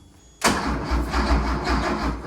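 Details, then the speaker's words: 1973 Porsche 911T sitting since 1998, cranked on a known-good charged battery: starter spins the engine at a healthy, even rhythm but no cylinder fires; spark is to be checked, and the distributor rotor was later found missing; crank no start. "I got this known good battery charged, and I'm about to try to crank it right up again If it doesn't fire, I'm gonna go ahead and check the spark plug."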